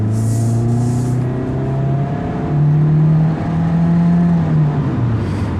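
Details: 2018 Mitsubishi Eclipse Cross 1.5 AWD CVT, engine warm, accelerating on the highway: the engine note climbs in steps like gear changes, smooth and steady, a healthy CVT pulling cleanly.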